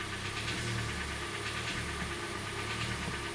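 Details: Hyundai Elantra 2013, 1.8 G4NB engine, about 86,951 mileage; steady dull, evenly paced knock under an even idle; suspected piston, wrist pin, crankshaft or hydraulic lifter, most likely piston slap.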